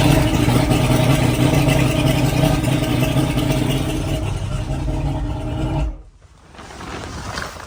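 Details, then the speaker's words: 1988 Sea Ray Seville with a 135 hp outboard, just after a new starter was fitted: it fires right up and holds a steady, even drone with no misses or knocks before shutting off; normal running. "just like that she fires right up"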